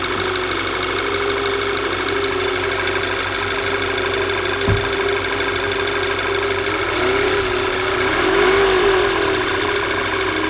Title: Knocking noise VW Tiguan